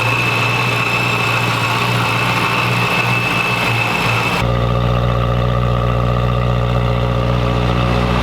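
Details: 2011 BMW E90 M3 at first start just after a VF Engineering supercharger install: smooth steady idle with a constant high-pitched supercharger whine riding over it; normal supercharged idle with supercharger whine.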